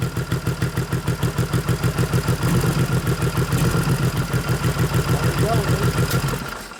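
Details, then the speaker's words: 1989 Harley FLST Softail with aftermarket 93ci panhead stroker conversion (3-5/8" bore x 4-1/2" stroke) during tune-up: lumpy idle with uneven beats sagging and nearly dying near the end; a cylinder cutting out intermittently, ignition suspected. "no I don't know why it's dropping the cylinder out but it just dropped it again that's ignition laters most likely"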